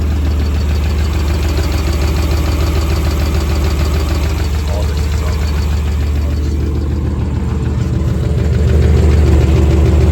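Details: 1996 Chevy 350 Vortec with carb and HEI in an 1989 Chevy 1500, loud steady idle with a regular top-end tick about three per second; persists after new rod bearings, owner suspects valves too tight, lifters or cam, not confirmed.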